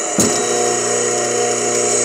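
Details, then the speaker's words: Dayton single-phase lathe motor being rebuilt, plugged in and run before bearing and start-capacitor replacement: steady even hum with a clean whine, no rumble or grinding; bearings sound healthy, noise linked to the centrifugal clutch engaging the start capacitor. "the bearings don't sound bad it makes that noise when the actual uh the capacitor goes back in the star capacitor"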